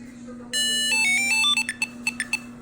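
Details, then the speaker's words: New Tile tracker and its replacement both making a repeating heartbeat sound since unpacking: a bright beep melody, then short chirps repeating over a faint hum. Neither will activate or connect; cause unknown. "the heartbeat it's been doing that since I open the container it came in"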